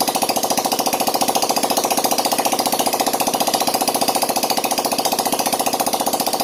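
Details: Yamaha Jupiter Z1 / Vega ZR after repair of scored bore, piston and worn valve stems, idling with exhaust removed: sharp, rapid, even popping straight from the open port, steady idle, no misses; engine runs smoothly.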